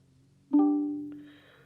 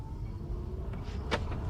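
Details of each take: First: MG ZS EV after comfort software update: one soft, clear chime at ignition on that fades within a second, replacing the old double bong, sometimes quieter; normal ignition-on chime. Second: MG ZS EV after its comfort software update, driving with the passenger seatbelt unfastened: soft multi-tone chime repeating about every two seconds, starting quicker than before the update and with a nicer tone.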